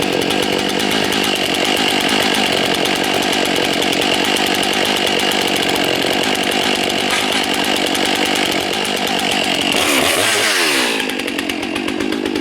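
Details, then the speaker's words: New Stihl chainsaw during break-in, cutting ash at only about half throttle, deliberately loaded a little. Steady two-stroke buzz at moderate revs, pitch sagging slightly under load; pulls cleanly, normal. "Now, if it seems like the saw is fighting, remember, I'm only hitting half throttle. A little more than half throttle, barely."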